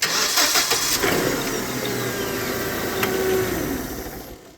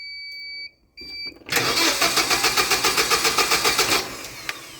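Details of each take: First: Hyundai 25L machine with a hard-start complaint, after its starter circuit was repaired, started in neutral: quick, clean crank that catches at once and settles into a steady idle; a healthy start. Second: Hyundai 25L forklift with e-controls fuel system, hard-start complaint: key-on beeps, then about 2.5 seconds of even cranking without firing after pausing at key-on; power relay times out and ECM fails to re-control it.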